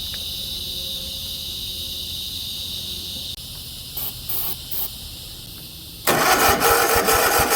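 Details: 50-inch Cub Cadet zero turn that had sat a while, low on fuel: a cranking whir, then it catches briefly on carb cleaner and won't keep running. The battery-powered fuel shut-off solenoid needs 12 V to open and feed the carburetor.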